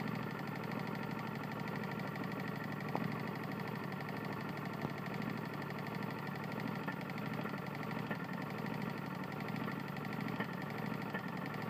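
Small single-cylinder engine running steadily with a dull knock riding under the exhaust note on every turn, a worn connecting rod.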